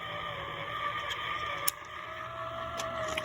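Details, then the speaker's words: Circa-1964 Stuzzi reel-to-reel tape recorder with a non-original replacement motor, heat shrink tubing fitted on the drive gear: quiet steady hum with a rough growling edge and a few clicks. Gear or vibration growl is reduced but persists. "let's see if we can still hear the growl when we run them over [Applause] oh not bad not as bad [Music] no that's bad but boy that motor is strong"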